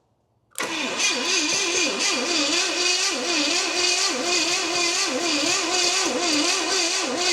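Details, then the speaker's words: 1969 Pontiac GTO with an apparent Pontiac 350, barn-stored 35 years, with HEI ignition hooked up and timing reset after being roughly 180° out: steady, uneven cranking chug, never fires. Cranks but won't start; spark is being checked, and stuck valves were later found on the passenger head. "Just turning her over. All right, let me check for spark here."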